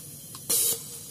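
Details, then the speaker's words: Nissan MR18 engine with a misfire from the number one injector. It gives uneven hissing spray bursts about every 0.75 s and intermittently sticks open. Cleaning will be tried, otherwise it will be replaced. "Kasi nag-i-stack up yung barbula eh. Nagsasarado, lumimintis yan."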